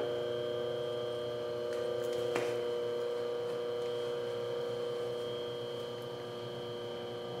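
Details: Rebuilt Jenny fan motor, wired for 120 V AC and run on a stand after restoration, gives a smooth, steady mid-pitched hum with no rubbing, ticking or rattle; normal motor run.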